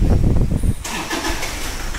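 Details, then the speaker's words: Toyota Fortuner diesel that knocks, puffs white smoke and shows check engine and ABS lights: engine catches and runs roughly briefly, then the rumble dies away as it stalls; rodent-chewed injector wiring suspected. "देख सकते हैं हमारी गाड़ी start हो के band पद जा रही है"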